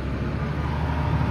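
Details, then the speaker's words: Volvo EC480D excavator diesel after filter change, accelerator dial raised and machine unlocked: steady, deep, even drone with no misses or knocks at raised revs, no longer falling to idle after 10–20 seconds; problem solved. "so viewers you can see the our machine is operating and it's getting the RPM as much as he needed so it means our problem has solved"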